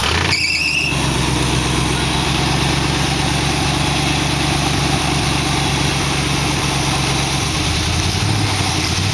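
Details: 1914 Dodge roadster with dual Holley carburetors after jet and spring changes: loud old engine misses on light throttle, some firing strokes dropping out, then pulls cleanly at the next step; front carburetor seems fine, cause unconfirmed.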